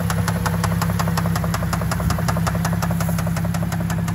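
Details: Cadillac CTS 3.6 L V6 at idle: quick, sharp, evenly paced top-end ticking, several per second. A lifter or camshaft fault is suspected, with replacement planned, not confirmed.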